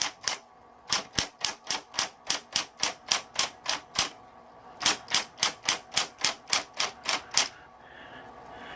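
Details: Smith Corona Coronet XL Coronamatic electric typewriter, switched on and humming. Crisp, evenly spaced keystrokes about three a second in two runs, each strike clean with no drag or misfire; normal typing operation.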